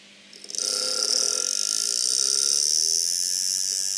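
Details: Laptop fan before repair: spins up within half a second into a loud, shrill high-pitched whir with a rough, fluttering edge; noisy fan, worn bearings suspected.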